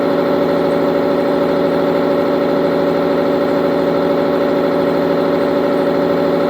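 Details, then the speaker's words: Tribotester friction test of engine oil with a MyNano additive, about 8 min 50 s run: loud steady drone with an irregular, sometimes rhythmic pulse about two per second, rising temperature; vibration from pitting as surface material tears out at the rubbing contact. "No i to też ten hałas, który słyszeliśmy, taki nerytmiczny czasami rytmiczny, to kwestia właśnie m.in. już tego pittingu."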